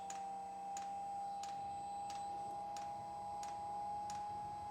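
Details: Custom hybrid of a Webasto water diesel heater and a Chinese diesel heater, first fire-up from cold with the radiator about 5°: sharp, even ticks about every two-thirds of a second over a steady fan hum. Normal fuel dosing pump pulsing during startup.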